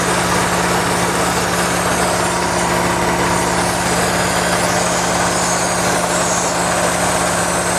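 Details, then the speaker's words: Geo Metro at idle after the A/C delay board was energized: even airy hiss heard up at the air cleaner, possibly a vacuum leak or just heavy intake airflow; cause unconfirmed. "i can even hear the hissing when that valve first turned on all the hissing almost sounds like a leak"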